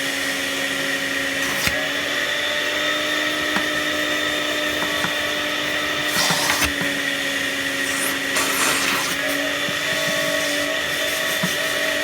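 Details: Panasonic MC-UG304 2000 W upright vacuum cleaner, completely clogged: a high, strained steady whine over an unchanging hiss, choked airflow from blockage; debris later found includes a plastic bag, matchsticks and receipts.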